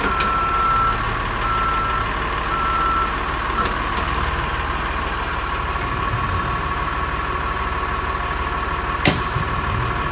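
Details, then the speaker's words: 2007 Thomas Freightliner FS65 bus, Mercedes-Benz MBE900 diesel, 8,180 engine hours, hydraulic brakes, air suspension and air parking brake: steady beeps about one per second over a not-so-smooth idle; backup alarm working normally, different from the fleet's C2 alarms. "all right i do like the backup alarm that this one has though it sounds different than the ones that are on our c2"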